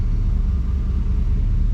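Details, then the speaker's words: 1992 Chevy C1500 V8 idling in gear at about 700 rpm, now firing on all eight: deep, low, even rumble with no misses or stumbles, no stalling in reverse; normal idle. "oh that's perfect absolutely perfect sounds so much better when it's firing on all eight imagine that"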